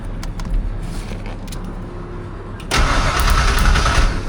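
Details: Car on its first start attempt: the fuel pump runs and there is plenty of spark, and the starter cranks at a steady beat around four a second; it roars up but won't keep running, with fuel pressure or delivery suspected.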